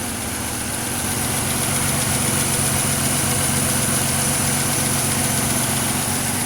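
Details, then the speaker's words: 2006 Pontiac Grand Prix supercharged V6, swapped used engine after the faulty knockoff spark plugs were replaced: an even, steady idle with no misses or knocks, running smoothly. There is still an exhaust leak at the crossover. "So yeah, I'm definitely gonna have to fix that exhaust leak on the crossover, but that's not a big deal. Man, she's idling smooth."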